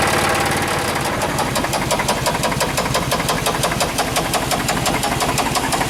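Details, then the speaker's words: Chevrolet Suburban engine running after new plug wires, spark plugs, rotor and cap, a cleaned EGR valve and a replaced brake booster for a vacuum leak; an even tick of about three per second plus a faint squeak, traced to a rocker. "I can still hear the squeak it's just not as bad so it looks like a next step is to take the bve cover off and take a look the side the uh sound is coming from this lifter I'm sorry this rocker"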